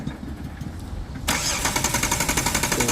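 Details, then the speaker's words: Jeep Wrangler Sport that suddenly died while driving; cranks steadily but never fires, check engine light on, no spark at test plug. "प्रक करने के time कोई spark नहीं आ रहा जैसा कि आप देख सकते हैं कोई स्पार्क नहीं आ रहा"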